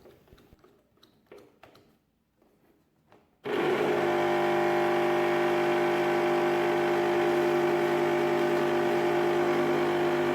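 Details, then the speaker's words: Mixer grinder over 15 years old with slow rotation, hum and burning smell: after a hand push to the gear base the motor starts with a loud steady humming drone, but the built-in breaker keeps tripping; faulty rotor windings. "Start again to work, but always breaker is blown away."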